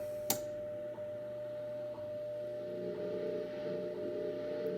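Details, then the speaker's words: Ten Tec Paragon 2 receiver at 15 MHz with a wide filter, tuned off station: steady ~600 Hz whistle over hiss with warbling that steps about every 100 Hz while tuning. Owner suspects an audio ground loop or PLL noise, unconfirmed. "A little bit of weirdness there. I turn the volume down, you could hear it still stepping in 10 kilohertz, or I'm sorry, probably like 100 hertz here. It almost sounds like I have an audio ground loop here or something."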